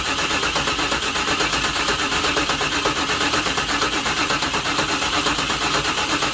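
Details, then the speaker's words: 1996 Chevrolet Camaro Z28, non-runner, cranked on a jump pack: steady even cranking at about two beats a second, spins freely but never fires; no fuel suspected, probably fuel pump not turning on, engine not seized. "It's not firing. It's telling me that there's no fuel probably, so we can see if it'll hit with a little sniff of starting fluid. If anything, I think what's going on is probably the fuel pump is not turning on."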